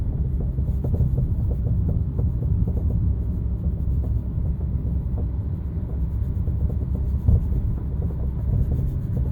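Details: BC Racing coilovers while driving: dull, irregular knocks over heavy road rumble from worn strut top mount bearings clunking as the suspension moves; fixed by replacing the top mount bearings.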